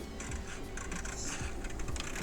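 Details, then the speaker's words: GM instrument cluster (Cadillac/Chevrolet/GMC/Hummer) with needles turned by hand: faint dry irregular ticking and rattle, some needles completely stuck. Gauge pointer stepper motors worn out; all servomotors broken. "already that they rattle a bit. It is completely stuck. That one is also no longer ok."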